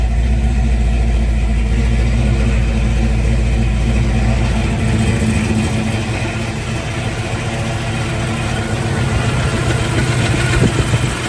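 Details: 1971 Chevrolet Chevelle SS with a rebuilt 396 big block, Holley Sniper fuel injection, headers and new exhaust, 400 Turbo transmission: deep, loping idle with a throaty exhaust, steady and even, no knocks or ticks over the rumble.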